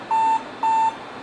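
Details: Compaq LTE/286 notebook, 30+ years old: two steady mid-pitched beeps, each about a quarter second, half a second apart, the hard drive failure alert repeating endlessly with no retry limit.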